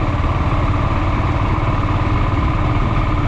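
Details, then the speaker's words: Honda GB500 single on a short break-in ride: smooth, even low thump at steady speed, no popping or banging, very quiet. Normal running. "it's basically just it's like riding I don't know it makes the bike almost feel smaller in a way because there's no like noise I know it's a very weird feeling that is so much quieter"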